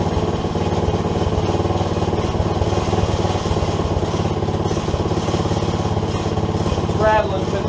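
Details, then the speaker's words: SSR 110cc pit bike single idling after a new head install and timing check: busy, uneven rattle riding on the firing rhythm, from the exhaust gasket missing at the head, which leaks and rattles. "I get that gasket on the exhaust tomorrow it'll sound a lot better"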